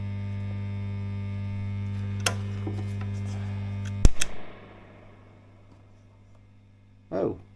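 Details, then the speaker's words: Fender Blues Deluxe-style amp in for a broken standby switch: steady low droning hum with buzzy edge, stops when switched off; capacitors checked and ruled out, ground loop suspected somewhere, unconfirmed. "well that is a bit noisy I've just checked the capacitors uh I've just checked the capacitors just put this across each one of them and it ain't any of the Caps oh it's a Grand Loop wow yeah it's a ground Loop somewhere"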